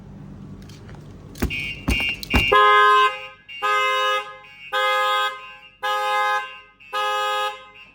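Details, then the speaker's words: Shock-sensor test on a 2021 Lexus NX300h with StarLine S9 V2 alarm: a hard impact at the front passenger wheel sets off the full alarm, five long horn blasts repeating every ~1.5 s with hazard lights flashing and the car immobilised. "alarm so you can see as soon as someone starts tampering with a front passenger wheel watch the alarm will go off The Horn will start honking head the lights will be flashing"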